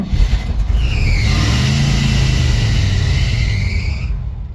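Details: 1983 Chevy square body wrecker, supposedly a 350 V8 (owner thought 305), old carburetor, electric choke wide open: deep lumpy V8 rumble catches, climbs smoothly when revved, settles back; sounds healthy, normal start and rev.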